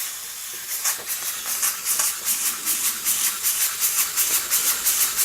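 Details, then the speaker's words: Empire 92 model steam engine, running on steam after its open-circuit heating element was repaired; boiler possibly slightly overfilled. Even chuffing steam hiss about three puffs per second, steady, with no knocking: normal running. "it does appear to be working. Amazing. I think I might have overfilled the boiler slightly too much. But it's definitely running."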